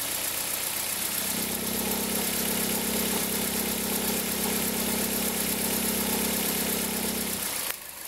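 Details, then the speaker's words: 2003 Toyota Corolla, cold engine: a steady low droning whir at the accessory belt tensioner rides over the idle and stops when the engine cuts off. It appears in reverse with a small throttle blip and occurs only cold. Worn belt tensioner bearing. "a gente percebeu que o barulho ficava muito forte na região aqui da correia de acessórios, porque o barulho dá ressonância no motor inteiro, dá até aqui no coletor, né?"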